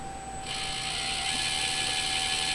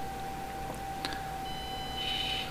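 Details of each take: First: Axial SCX24 V2 bench test, Horizon Hobby ESC with V2 transmitter: soft even high-pitched buzz as the motor spins up at light throttle, no whine on engagement, only diff gears audible; much quieter than the V1 ESC, normal. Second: Axial SCX24 brushed ESC, thin steady high whine at about 1–2 mm throttle pull with no movement, engagement a millimeter or two later.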